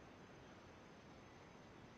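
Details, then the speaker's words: New 1/8 inch air micro die grinder on a compressor: soft continuous hiss of air escaping at the bottom fitting, quieter after tightening; suspected insufficient Teflon tape on the thread. "yeah I hear the air hissing can you hear that it's better than what it was before"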